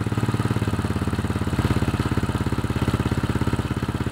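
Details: Old Honda Supra X with suspected weak stator, on the used spark plug: single cylinder putters at an even idle without misses; battery reads about 13 V engine off and 12.9 V running.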